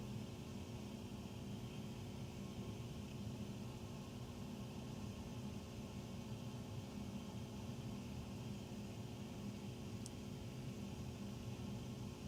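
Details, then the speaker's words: Very loud furnace noise carried through the main duct across three levels, heard at the utility room after the closet and powder room; constant low roar with steady hum, tiny water-dripping sound between, cause unclear; loud furnace noise. "Between the loud noise, there's tiny noise. Oh, this is loud. There's tiny water dripping noise. Loud."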